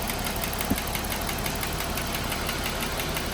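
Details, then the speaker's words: Jeep Wrangler JL 3.6L at idle: light, quick tick about three a second from the top end, heard by stethoscope on bank one near the PCV, growing louder toward cylinder five; failed rocker arm roller, fixed by intake camshaft and rocker arm replacement. "Then went to cylinder three, I was starting to hear it get louder, but as soon as I got to cylinder five,"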